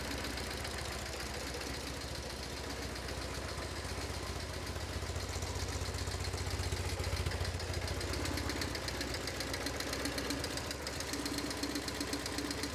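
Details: BMW R1150GS boxer twin at full operating temperature after an oil change, idling: loud, fast ticking about four per second from the left cylinder, steady with engine speed; valve tapping suspected.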